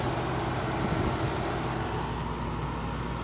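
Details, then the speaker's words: LG window AC unit, compressor starting after its usual delay on a morning start-up: steady low hum with even fan rush and no rattle or clatter; the compressor kicks on and runs smoothly. "sometimes it takes a while second for the compressor to start up because of the uh delay but here it goes you're the compressor right there"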